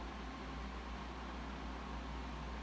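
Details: Dell Dimension E521 running Vista Ultimate, with a replaced hard drive and CMOS battery, at power-on: steady even fan whoosh with a low hum underneath, no ticking or grinding; the fan spins up cleanly and sounds healthy.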